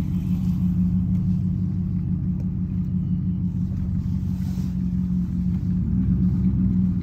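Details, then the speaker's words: 2021 Ram Limited on factory air suspension with 33x12.5 tires on 22s, windows down at cruising speed: constant low road roar with no rhythmic rubbing or thumping; ordinary tire noise. "so i've been getting a few questions in the comments asking am i having any rubbing issues or lost the power oh how loud are the tires so let's shoot this video right quick so y'all can hear it"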